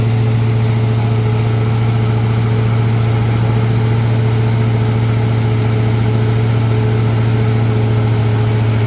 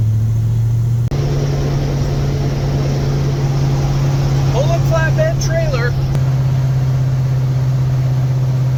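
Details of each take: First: Big-block Ford V8 with a 750 CFM Brawler carburetor, cold start in freezing weather, intake runners around 10–23°: once the choke comes off, a loud deep idle that won't settle. Rough cold idle as the cold intake leans out the fuel. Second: Big-block Ford V8 with 750 CFM Brawler carburetor, fully warmed up after trailer hauling, cruising through town in third gear: steady deep rumble at even pitch, no misses, knocks or stumbles; runs great.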